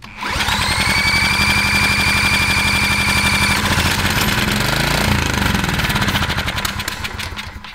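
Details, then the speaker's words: 1980s Kawasaki barn-find mini bike with Kawasaki FA130 engine, original carburetor, cranked using hot sauce: fast sputtering pulses catch and settle into a buzzing run, pitch wandering with throttle; fires and runs, no smoke, no knocking. "awesome that sounds good no smoke yeah we'll clear it out real quick well it's a great sign yeah dude no smoke no knocking perfect"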